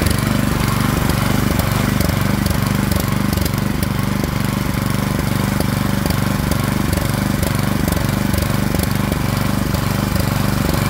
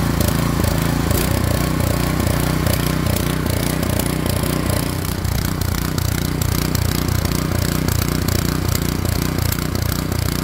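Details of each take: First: Craftsman snowblower, model 247.889571, 179cc single-cylinder, running after throttle slide stop adjusted to raise RPM: quick, steady beat at about three and a half pulses a second, no misses or surging; running healthy. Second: Craftsman 24-inch snowblower, model 247.889571, 179cc engine, running after its speed was raised from under 3,000 to about 3,600 rpm: a fast uneven, stumbling beat with irregular pops; sounds rough, cause unclear.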